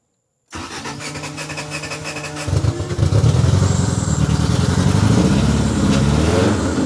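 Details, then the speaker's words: 1987 Honda CRX Si after timing belt install and replacing the rusted, water-damaged ECU: engine catches and settles into a choppy, uneven beat as it revs, running somewhat decent but with a problem still on cylinder 1; cylinder misfire. "Now that we know that this thing's running somewhat decent, we have a problem on cylinder 1 still, so we're not gonna worry about that right now."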